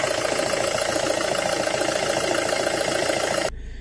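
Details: Suzuki Grand Vitara after replacing worn alternator brushes: a steady, even idle with a faint constant whine and no knocks or belt squeal. No battery light, charging 14.3 volts. Normal idle.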